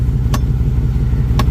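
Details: Low engine rumble with two sharp metallic clicks about a second apart from underneath a Hemi 4x4 Jeep Grand Cherokee creeping slowly on the brake; the owner suspects the front driveshaft U-joint or the front axles, not confirmed.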